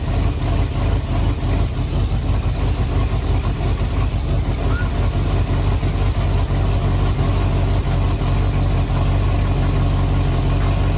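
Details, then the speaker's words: 1974 Ford F250 SuperCab 460 V8, parked 14 years, revived: deep steady rumble with no ticking, knocking or banging, over 50 psi oil pressure; running normally. "go she don't sound half bad good stuff I just shut it off because I want to check that fuel coming from the mechanical pump in case it is pulling something but she really don't sound bad no ticking or knocking or banging"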